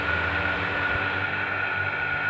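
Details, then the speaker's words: Household water booster pump with a smart pressure head, drawing from the tank with the mains shut off: constant motor hum with a steady faint whistle, no rattle or surging; normal running. "from sounds good the reason for that is because i turned off the main so the water is coming from the tank now"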